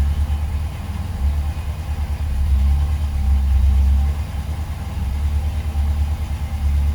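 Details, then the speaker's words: 1972 Rover 3500 P6 V8, off the road 12 years, cold start on a little choke right after an oil change with thinner oil; deep steady idle rumble, gentle choke rise and fall, no ticking; oil light out, pressure lower than before but present. "Not as high as before, of course, but this is thinner stuff. But now we know it works, it runs. We have oil pressure."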